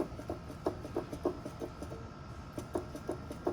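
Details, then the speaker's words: GM Onix/Prisma-family car, strut rocked by hand: light, dull knocks about three a second as the widened hole in the worn strut mount rubber knocks metal; fix is replacing the rubbers. "então a borracha isso essa folga esse buraco alargada bosta fica batendo aqui e fazendo um barulhinho você escuta bem baixinho mas é esse barulho batendo"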